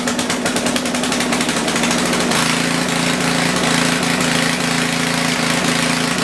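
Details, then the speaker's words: Generator started during feet replacement: fast ticking, then a steady buzzing drone that sounds a touch high-pitched; owner thinks engine speed is slightly high. "well that runs i can't really say runs very well it sounds like it's a little high but let's work on that shoe"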